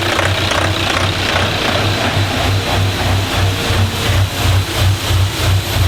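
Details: Diesel engine at warm idle in a DervBus project, after initial trigger and timing setup, extractor running; deep steady thrum with even low pulses about three a second, no misses or knocks — normal idle.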